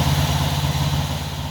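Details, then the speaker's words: 1974 Honda CB360 twin idling after carburettor cleaning, pod filters off: steady low throbbing idle, even firing, no misses or pops; before cleaning it would pop and die, now back up and running. "it's it's back up and running so before it wouldn't even do that it would pop and then it would die"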